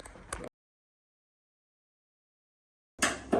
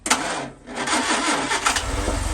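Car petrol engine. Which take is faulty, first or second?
first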